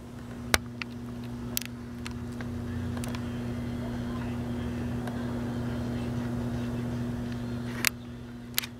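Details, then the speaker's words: GE P977 AM/FM transistor radio, late 1960s (parts dated 1968), volume full up on FM and AM: very low steady hum with just a whisper of program sound and a few clicks; weak audio, suspected bad capacitors. "It's a very low hum with just a whisper of sound."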